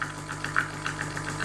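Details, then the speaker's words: Gemilai Owl thermoblock espresso machine, pump after adjusting the over-pressure valve: only reaches about 7.5 bar this time versus just under 9 before, inconsistent; steady low buzz with uneven rattly bursts, pump straining, cause unconfirmed. "This time it only makes it up to, let's say, 7.5. Starting to make some weird noises."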